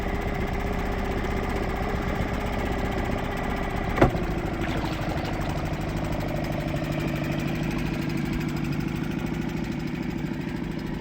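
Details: Suzuki 2.5 outboard after its carburettor was cleaned ultrasonically to fix long-standing idle problems: a steady, even burbling idle with no surging or stalling, one brief knock, a normal idle.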